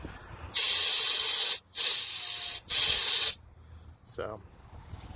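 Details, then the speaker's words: MCI custom coach air system during initial inspection: three loud, sharp hissing blasts; a nasty air leak until it builds up, still a decent leak once running. "but this one is pretty nasty air leak until it gets going and it's still even when it is going a decent air leak"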